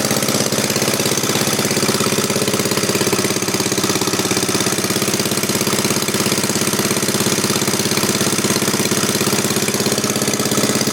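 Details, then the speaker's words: 1939 Onan DC generator, donated and being repaired, clamped to the bench for a first test run with fresh oil and gas. Slow, steady, evenly spaced firing beats with no misses or knocking: normal running. "Yeah. That's good. That sounds good, Mike. We're all clamped down to the bench, so it should be pretty good."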